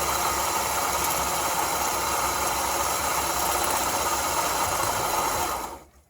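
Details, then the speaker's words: Ford Escape with its AC compressor clutch smoking heavily and a badly cracked belt; a harsh rattling grind rides over the idle at about four beats a second until shutdown: the AC clutch bearing is failing. "Definitely the bearing. So I opened up the hood and I seen the clutch on this unit smoking pretty heavily."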